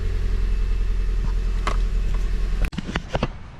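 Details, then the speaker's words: 2008 Pontiac Vibe after replacing the evaporative canister, which had made it hard to start, and clearing the code: steady, even low drone at idle with no knocks or misses, no check engine light, fixed. "all right guys moment of truth let's see if it starts yes sir no check Eng light nothing mechanics"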